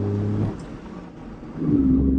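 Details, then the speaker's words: 2014 Hyundai Eon three-cylinder engine after spark plug replacement and clearing P0301–P0303 misfire codes pulls strongly on road test in third gear past 60 km/h, then fourth toward 80, note dipping briefly then rising cleanly; normal acceleration. "तो friends अब performance आया गाड़ी का पहले तो ना गाड़ी उठ ही नहीं रही थी जो गाड़ी अब उठ रही"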